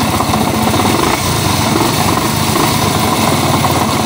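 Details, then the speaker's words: STX 125 motorcycle before overhaul: very loud, rattly idle with steady deep knocking under exhaust beat; worn connecting rod and side bearing. "Yan napakaingay ng kanyang makina. Ayan."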